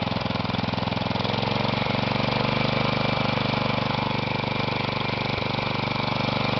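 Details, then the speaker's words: Kohler Magnum 16 hp (K361 block) in a Bolens 1256, air cleaner off, with a leaky muffler: a single-cylinder thump at very low idle with an uneven beat and occasional stumble. It runs rough, needs adjustment, shows no smoke and little blow-by. "Started doesn't sound the healthiest, but I'd never owned a Kohler before, so don't really know what they're supposed to sound like."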